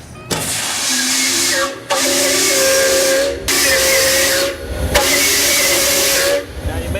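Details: 1925 Doble Series E steam car, whistle blown using boiler steam pressure: three long, strong blasts on a steady mid-pitched tone, each stopping cleanly into hiss; the steam whistle works properly.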